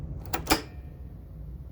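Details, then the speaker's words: Ghostbusters Pro pinball, rebuilt left flipper after fitting narrower replacement part for more clearance: link no longer touches coil sleeve, two crisp clacks of plunger hitting its stop, no buzz or rubbing; normal flipper action. "the link is not touching the coil sleeve there's a little more clearance there you can hear the plunger banging into the coil stuff nice and happily"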